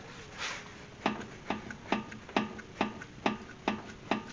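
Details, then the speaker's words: 2005 Acura TL, 230,000+ km: crisp clicks, two-plus per second, as the tire is rocked at 12 and 6 o'clock; excessive play in the worn upper ball joint, upper control arm to be replaced. "you can see that it got some play back and forth there up and down and shouldn't be doing that and it shouldn't be clicking"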